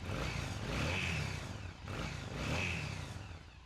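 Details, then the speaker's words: 2006 Yamaha V-Star 1100 V-twin after a full carburetor rebuild with a rebuild kit: two clean throttle blips rising and falling smoothly, no misfire or stumble; running properly, no carb adjustment seemingly needed. "Okay, things sounds good. We're going to go out, test ride it. It doesn't sound like we need to make too many adjustments on the carburetor at this point as long as it's running good on the test ride."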